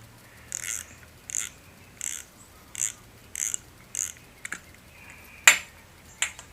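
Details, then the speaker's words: Osprey 4000SS saltwater spinning reel after about 25 hours, grinding when the spool hits bottom: with the spool removed, only light regular clicks about 1.5 per second as the handle turns, no grinding; noise likely from the spool. "So you don't have that grinding sound. So I'm not sure where it's coming from, but it looks like it's coming down from the spool going down."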